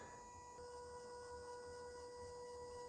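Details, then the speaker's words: Toyota Yaris Hybrid throttle body, hose removed, flap commanded open via scan tool active test: thin steady whine holding flat as the throttle motor drives open; throttle body responds normally. "well these are good news the throttle body response"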